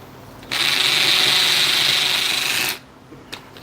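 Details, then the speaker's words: Hammer drill on concrete under light pressure. A two-second burst of high buzzing rattle from the repeated hammer action, drilling slower than brick. Normal hammer drilling. "so notice i'm not putting a lot of pressure on the drill and you hear that vibration that's like a little uh it's like a little prisoner trying to break out of prison he's just hitting the hammer over and over"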